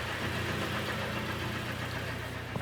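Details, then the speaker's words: Kia Sportage G4KD engine running like a tractor: heavy uneven clattering knock over rough idle, 113 (thousand) mileage, front-wheel drive; piston slap from scored cylinders, not timing chain; repaired by sleeving block and oil jets. "поршневая понятное дело задиры ребята такой звук только поршня издают"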